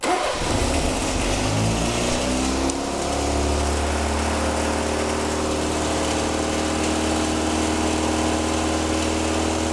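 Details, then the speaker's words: 1977 Triumph Dolomite that hadn't run in years, restarted after losing a lot of temperature: starts instantly into a steady, fast, even drone at about 2,000-3,000 rpm with no throttle change; idle far too high, smoking a bit. "very very high Idol to say the least what are we on 2 and 1 12,000 RM too much it's too much okay so I mean that started up instantly the the engine had lost a lot of temperature as well started up instantly but that is like 2,000 2 and a half th000 to 3,000 RPM which is way too high"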